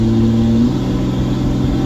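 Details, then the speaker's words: Ram 2500 diesel ("Bertha") hauling 9,500 lb after replacing a clogged fuel filter; strong, even pull through the gears, locked up in second, no stumble or surging. Full power restored, normal acceleration. "Here's what Bertha sounds like. Oh, we're back, we got all the power. Locked up second."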